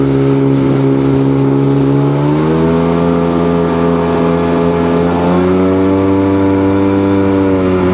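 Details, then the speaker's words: Sea-Doo GTX DI two-stroke on water run after bad air injector replaced, water temp 52–58°: full-throttle drone climbs in two steps then levels off early; tach shows only 6,200 rpm, cause unresolved. "I don't know if that's not calibrated right, but I'm looking at the tach. I'm only getting 6,200 out of it."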